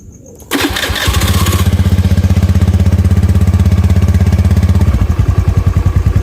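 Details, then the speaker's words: Honda Beat FI scooter after spark plug change and ECM reset: engine catches and settles into fast even putter, then turns choppy and bogs on snap throttle; still hesitates, another ECM reset planned. Cause suspected, not confirmed. "bisa terdengar di sini dia masih belum mau ya di gas spontan ya 3 spontan dia masih belum mau dia masih melebuk ya"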